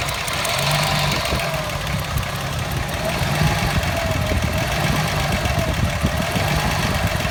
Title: Fj60 rough idle